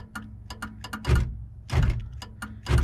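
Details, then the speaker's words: 1978 Chevrolet El Camino electric door lock, connector on lock motor slightly corroded, switch contacts cleaned: sharp relay clicks in quick pairs with heavier lock clunks about every 0.8 seconds; relay works, lock operates only intermittently, cause unconfirmed. "So we pulled our connector off the lock motor here. It's a little bit corroded. I don't know if we're getting a great connection, but we know, we also cleaned up the switch contacts, but we know it's working because you can hear the relay over"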